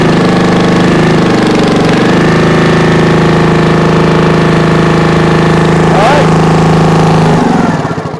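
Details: 1996 Brave log splitter engine, about 30 years old and thought seized, started after carbon burn-off and a premix primer shot: a loud, even single-cylinder chug at steady speed with no misses, winding down at shutoff; normal.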